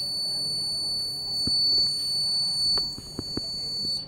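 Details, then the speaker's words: A DIY Arduino-free fire and smoke alarm (flame sensor, MQ2 sensor, 5 V relay, buzzer, 5 V adapter) activates when incense smoke reaches the sensor; a steady, piercing high-pitched buzz holds without a break over faint room clicks, so the buzzer triggers normally. "जैसे इसका smoke देखिए इस पर लगा, project हमारा active हो गया। ये धुआं जैसे ही इस तक पहुंचा, प्रोजेक्ट हमारा एक्टिवेटेड।"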